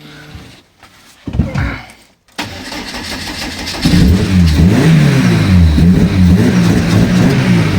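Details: 2001 Lotus Elise (year as told), first start after loading modified file to fix no-start; brief crank, catches at once, steady idle and clean throttle blips, healthy start.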